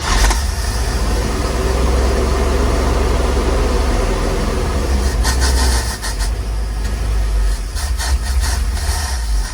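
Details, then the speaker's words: 1948 GMC COE truck six-cylinder started after years of sitting, primed with fuel down the carburetor: settles into a steady, even low idle with no misses or knocks; sounds healthy though the carburetor needs cleaning; normal idle. "Sounds pretty healthy, but definitely needs a carburetor clean out, some work. But look, it fires up now on its own."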